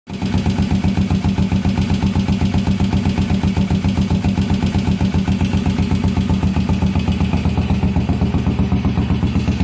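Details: 1981 Yamaha SR500 after oil and filter change, sump check ball/spring/gasket replacement and valve adjustment, still smoking, 115 psi compression: loud uneven thump about four per second at idle; rough idle, cause unknown.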